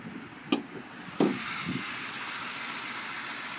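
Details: 2018 Mercedes-AMG E63 S 4Matic with the 4.0-litre biturbo, 604 bhp: a smooth, even idle with a steady hum and no ticks, knocks or rattles; the engine sounds healthy.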